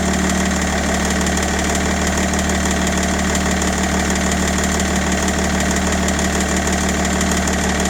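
Steady diesel idle with a loose, uneven knock riding on top, roughly three a second, rough but continuous.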